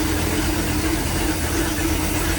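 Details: 1996 34-ft Bayliner yacht, 5.7 V8 with ignition trouble: after replacing the distributor pickup it fires right up into a steady, even low rumble with no misses or knocks; normal idle after repair.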